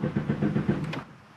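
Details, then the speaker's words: Car after a bottle of pancake syrup was poured into the fuel tank, having run badly and stalled: starter cranks in quick even beats for about a second but the engine never catches; crank no start, fuel-system misfire code. "oh no it's cranking but now the engine's not starting uhoh"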